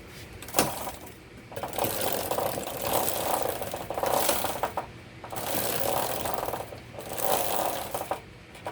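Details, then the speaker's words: Motorcycle rear wheel spun by hand: rough clattering knock returning about every 1.3 seconds from the chain area, heard suddenly while riding home; chain looked good with some rust. "Now, a chain and sprocket is never supposed to sound that way. That is horrible."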